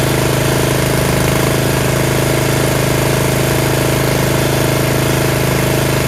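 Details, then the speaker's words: Yard Machines (MTD) 38" riding mower, 13.5 HP Tecumseh engine: steady, even single-cylinder chug at constant speed, no misses, knocks or surging; normal running. Owner suspects possible carb issue after an earlier stall. "another tractor going and I got it for free"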